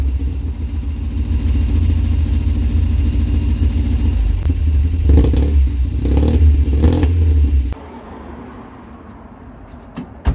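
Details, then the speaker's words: 1990 Ford Fiesta with rear silencer removed and a modified air intake: loud, raspy, buzzing exhaust with a deep drone swelling on each throttle blip; loud exhaust because the back box is missing. "sounds like an angry bumblebee sounds like a max power corer be from back in the day"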